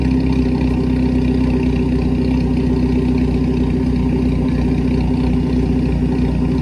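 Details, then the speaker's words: Four-cylinder Hornet-class race car idling on straight pipes. Loud, deep, lumpy idle with an uneven pulse about four times a second, sounding like a tractor; it's running rough, cause unknown. "it don't take a genius just think that sounds bad"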